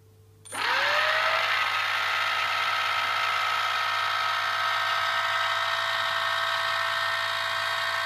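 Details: New NTM Prop Drive 28-30 800KV motor spinning up: fast steady high whine with a coarse buzzy rattle underneath and heavy vibration; owner suspects a bad bearing, not confirmed.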